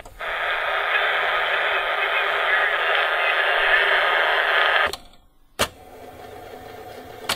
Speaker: So the mic is dead. Can definitely hear it banging around.